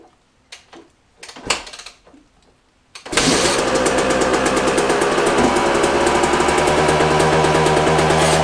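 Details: Brand-new dirt bike with under an hour of riding that wouldn't start; after a spark plug swap, with some handling noise, the single fires up and settles into a steady, even run with no misses or knocks; runs healthy.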